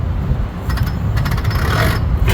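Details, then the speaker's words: 1974 International Cub that sat outdoors over a decade with four stuck valves: heavy low cranking rumble with sharp metallic clacks as the starter Bendix engages while the engine is turned over to check the valves. "You can hear the starter Bendix engaging as I'm turning it."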